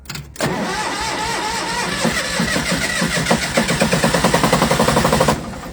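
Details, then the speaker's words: MEP-002A military diesel generator, rusty fuel filtered: short crank, then it catches on the first try and builds into an even, steady diesel clatter with no misses. "look at that woohoo I think I'm going to hold that longer unbelievable a little bit of SL but it probably has to run"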